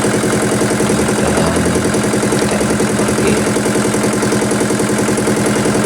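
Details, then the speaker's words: Yulin 2105 single-cylinder diesel rice-mill engine after fixing a leaking valve: steady, even chugging with the valve-leak noise gone, running normally. "Kita coba putarpar dan kita dengarkan suara ngejnya ada enggak. Ternyata enggak ada lagi ya."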